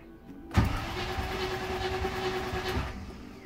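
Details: Clunk, then a small electric motor hums steadily about two seconds and stops on a January 1994 hard-dash Range Rover Classic with the ignition off and key out; something stays powered. Suspected earth faults; sunroof anomalies reported; not confirmed.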